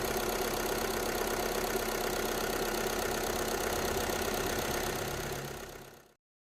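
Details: VW Polo with variable-speed AC compressor, after replacing the compressor control valve (before: refrigerant present but no cooling): steady idle with even four-per-second pulse and constant hum, no grinding or clatter; pipes cold, normal compressor operation.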